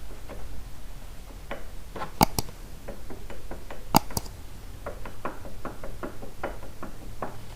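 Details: 2007 Yamaha V-Star 1300 Tourer, rocked by hand, with rust dust at the front belt pulley and a whine on deceleration: irregular dull clunks with a few sharp knocks. The pulley is loose on worn splines.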